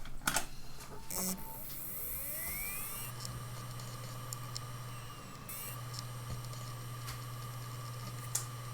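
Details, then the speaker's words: Mechanical hard drive from a PC: a few clicks, then a slow, laboured rising whine that takes seconds to settle into a steady hum. It struggles to spin up at every startup. "il a un peu de mal à se lancer vous trouvez pas"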